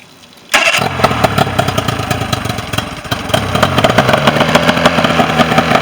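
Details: Mercury 40 hp outboard after a no-start issue: quiet, then it catches at half a second and settles into a steady, busy run with no misfire; starts and runs normally.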